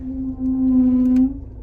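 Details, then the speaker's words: Range Rover Evoque braking while reversing: steady low groan around 250 Hz held over a second, then stops; brake noise only in reverse, cause unknown, owner plans to check the pads. "so there seems to be an issue with her her brakes when you but when you reverse"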